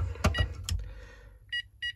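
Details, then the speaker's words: Texecom Veritas alarm keypad on arming attempt: after handling clicks, two short high beeps about a third of a second apart, meaning zone 2 is open, so the system won't set. "I'd get 2 beeps."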